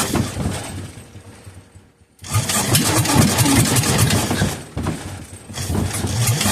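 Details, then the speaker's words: Kohler K241, sat for years, bottle-fed two-stroke fuel into cylinder; fires in short bursts while starter-generator powered, dies once disconnected, won't sustain running; cause unconfirmed: engine fires but will not keep running. "as soon as I uh disconnect the power to the starter generator it once to die like just doesn't want to run but you can hear it firing"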